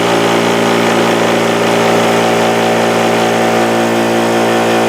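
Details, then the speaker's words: DeWalt air compressor running with its extension cord connection, treated with Force 5 marine product, submerged in water: steady, unbroken motor hum with constant pitch and no knocks; no short, running normally. "Compressor's still running."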